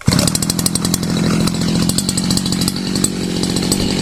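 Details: Sviatiaz BT-430 petrol brush cutter after replacing faulty spark plug that stopped it starting; starts first pull, steady even two-stroke buzz with no misses: normal running.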